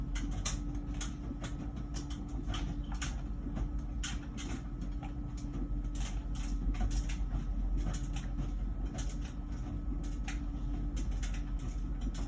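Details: About one-year-old LG Wash Tower WKHC202HBA heat pump ventless dryer, before the new buzz begins: low steady motor hum with soft irregular thumps of clothes tumbling; running normally.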